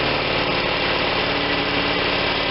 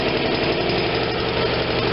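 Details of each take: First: Vermeer BC625A brush chipper, Kohler Command Pro 25 twin-cylinder gas engine: fast steady beat then pitch sags and settles lower, not holding full speed; throttle won't stay in position, owner suspects a bent part. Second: Vermeer BC625A brush chipper, Kohler Command Pro 25 twin gas engine after idle screw adjusted by ear: low steady even putter, no knocks; slow idle for blade engagement yet enough oil pressure, normal idle.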